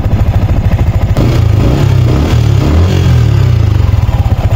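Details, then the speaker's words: Yamaha Sniper 155 at idle after the new manual cam chain tensioner was adjusted tighter, which removed the earlier chain noise. Even, steady putter with regular firing pulses and no chain slap or rattle. Normal idle. "So ayun, tahimik na siya."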